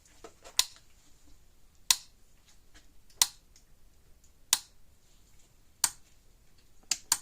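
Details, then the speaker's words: Gallagher M1500 fence charger that clicks but gives weak or no output, plugged in to check output before the bulb change: sharp crackling snaps about every 1.3 seconds, each pulse sounding like arcing somewhere; cause suspected, not confirmed. "Sounds like it's arcing something."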